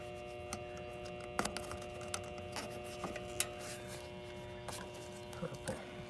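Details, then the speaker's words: Goodman R22 AC condenser not cooling, compressor trying to start; contactor pulled in and buzzing steadily under scattered clicks and taps while energized, before start-up; suspected bad capacitor, possibly something more expensive. "okay so it should start up contact who's been in the whole time you probably hear it buzzer so let's see what happens"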